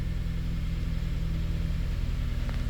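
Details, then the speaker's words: 2006 Honda Element K24 with code P0301, idling: deep, lumpy idle with an uneven low beat. Scanner counts 400-plus real-time misfires on cylinder 1, a dead miss from a failed injector. "We're counting real time misfires on cylinder one. You see that? Cylinder one misfire. We got 400 and something misfires. So, we've got a dead miss on cylinder one."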